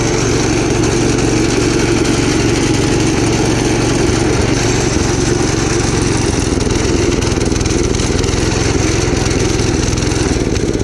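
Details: Gravely Commercial 12 34" Snow Cannon snowblower, cold start after about a month unused, on choke: loud, uneven, hunting beat with no steady rhythm; owner suspects a fuel issue; rough running, possibly fuel starvation.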